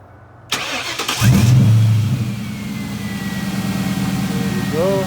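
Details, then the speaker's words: 1996-98 Ford Mustang just after installing C&L high-output ignition coils: short crank, instant start, settles straight into a steady even idle; clean healthy start. "that was an instant start that was a nice start that was a quick start actually"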